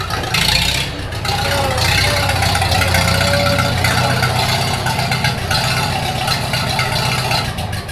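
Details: 1942 Farmall H tractor, hand-crank started in the garage after transmission teardown and repair of a scraping/screeching noise and hard reverse shifting, carburetor not yet adjusted: four-cylinder chugs steadily with mild rattle on top, no misses or knocks; normal running.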